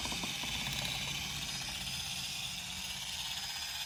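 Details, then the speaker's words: SPTA Mini polisher on Porsche Exclusive carbon wheels. A high, steady whine with light rapid tapping from its hard plastic cover over a metal cover. Harmless cover tapping. "I'm sure you can hear that tapping says a plastic but it's a very hard plastic and it's over metal cover on it so it's just typically that plastic [Music] cover not doing any [Music] damage"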